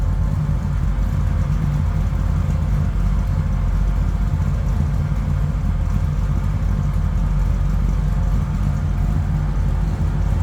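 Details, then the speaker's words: 1981 GMC C1500 street rod, 350 small block V8: deep, even lumpy burble with no ticks or knocks, sounds stout and healthy, a little cold-blooded. "And again, 350 small block, but this thing sounds stout. A little cold-blooded."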